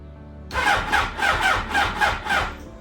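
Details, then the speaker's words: 2005 Yamaha R1 rebuilt after a crash, first start attempt with dead battery jumped from a car; labored starter turning about three strokes a second in uneven pulses, never catching; weak battery dragging the crank. "Okay, it wants to start up, but the battery is still dead."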